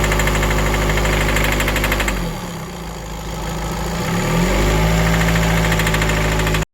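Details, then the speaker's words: VW Crafter campervan diesel that cut out and wouldn't start two days after purchase, idling with a hard metallic knock about three times a second; revs sag and recover. It sounds like a rod bearing but is believed to be injector knock, unconfirmed. "You can hear a knock, and if you're not familiar with cars, that sounds like engine gone, like rod bearing, but that is actually commonly known as injector knock, and it just sounds like the metal is hitting something, and it does not sound nice at all."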